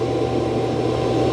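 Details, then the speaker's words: Roborock Qrevo Curv 2 Flow robot vacuum dock auto-empty, pulling the dustbin clear after a carpet test. Steady, even suction roar with a low hum underneath and no rattles or surging; not very loud, and it empties normally. "Let's do an auto empty first. And we should hear like a thunk. Everything coming out of that dustbin. Yeah, that sounded good."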